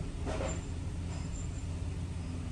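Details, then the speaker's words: 2008 Dodge Caravan 3.3L with a P0303 cylinder 3 misfire, given a light rev at idle: a low, slightly uneven rumble with a faint lumpy beat and vibration; plugs, coil and EGR valve were already replaced, injectors not yet. "vamos a pegarle una pequeña celebrada a ver si falla de mostrarse de ruidos o un poquito de ruido a ésta número 3 ahí está y ahí se siente más la un poquito de vibración y empezó el conteo"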